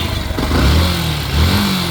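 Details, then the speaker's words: Yamaha FZ S motorcycle after replacing the faulty part, new one fitted with 2 nuts: engine idles and blips up cleanly with an even low beat, no rattle or whine, earlier noise gone; normal running. "Bike वही है, sound जो bike का ठीक हो गया है।"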